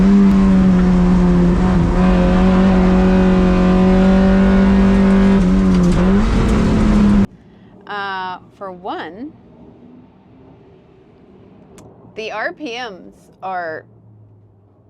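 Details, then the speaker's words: Spec Miata racecar with the charge light on; steady high revs hold for several seconds, then the engine cuts out abruptly and it won't run, leaving only faint noises; owner suspects a failed alternator. "it died so the car will we'll turn it on I'll show you here we go it died as you can tell there ain't nothing"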